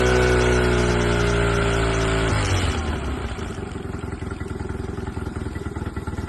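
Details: Honda 8D engine revs high, then drops to a lumpy, uneven idle with stumbling pulses about three a second, consistent with a misfire; the cause is suspected, not confirmed.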